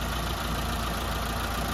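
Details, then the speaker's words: Mitsubishi Lancer 4G15 overhauled after it overheated, freshly rebuilt with piston rings still seating: quiet, steady idle with even low hum, no knocks or ticks; normal idle. "Tahimik sir. Yan, suwabe na yung andar. Pero ang ganda ng response ng makina mga padi."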